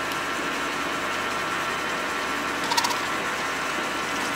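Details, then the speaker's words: Lee case trimmer on a lathe trimming and chamfering .308 brass after the cutter was readjusted to cure earlier chatter. Even hissing cut with no rattle or buzzing chatter, only a faint tick partway through: smooth, steady cutting. "So in the previous video you heard a little bit of chatter. There's really almost no chatter at all in there now."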